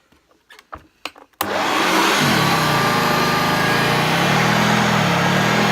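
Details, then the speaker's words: Hoover Junior U1012 upright vacuum, fitted with a long replacement cable, switched on before refurbishment: a click, then the motor spins up within a second to a steady, strong roar with a good growl; motor running healthy. "Sounds really good. It's got a really good growl on it, so it'd be interesting to see the agitation on this."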